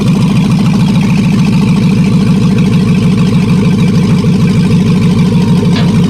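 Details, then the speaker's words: Bronco II crawler with a newly swapped 2005 5.3 LS V8 and Turbo 350 transmission, cold start with no exhaust: a loud, steady idle with an even rapid pulse and deep rumble through unmuffled open manifolds, otherwise running cleanly; normal. "let you guys hear it it's pretty loud just open manifolds right now"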